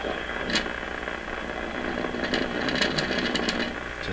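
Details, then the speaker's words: Stewart Warner R514 tube radio on a bundle-of-wire antenna: weak, noisy station sound with a buzzy rattle on every loud passage; speaker cone is damaged and rattling, making it unlistenable. "rattling away that's what we get from a bundle"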